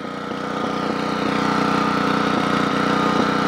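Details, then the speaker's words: Generac 8838-0 generator, choke about three-quarters closed: steady thudding beat near four per second with speed and loudness rising and falling; engine surging, voltage unstable, earlier popping; carburetor cleaning done. "the voltage is all over the place in other words the RPM is up and down up and down up and down the choke is about three-quarters closed and"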